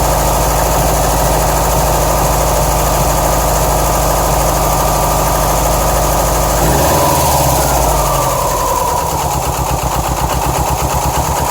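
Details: 2007 Subaru STI turbo flat-four idling unevenly with a lumpy, pulsing beat and tone shifting partway through, after a shredded check screw in the passenger-side AVCS likely starved cylinders 1 and 3 of oil; rough idle, cause suspected.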